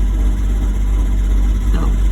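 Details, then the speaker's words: 2009 Infiniti M35 that had no start and no spark; starts only with an intake cam sensor unplugged, then idles heavy and lumpy, runs rough and shuts off; cause not confirmed. "Then it started. But it's not running good and it's shutting off. And it shut off again."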